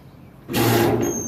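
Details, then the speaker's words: Central A/C condenser that had no power, with a contactor not passing voltage: sharp clack as the contactor pulls in, then the condenser starts with a steady hum; unit runs once energized. Attention then turns to the coil and starting capacitor. "that's the unit running there"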